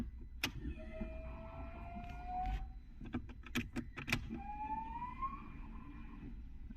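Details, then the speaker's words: Renault Kwid with a third-cylinder misfire and low pickup, at key-on after battery reconnection: a faint hum rises in pitch for about two seconds and repeats after clicks as the fuel pump primes. "या fuel motor थोड़ी सी sound कर रही है इस ऐसा लग रहा है"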